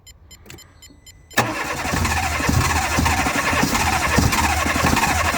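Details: Fiat Grande Punto 1.2, immobilised no-start after sitting three months: with a broken, oxidised wire found and fed 12 volts by probe, quiet ticking, then it cranks and catches at once into a steady, even idle with no misses.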